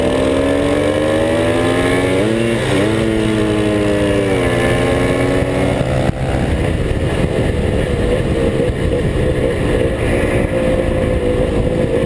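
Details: Car on a drag-race launch at full throttle: revs climb and waver, then the engine flares into a loud rush without the pull settling in, the clutch slipping.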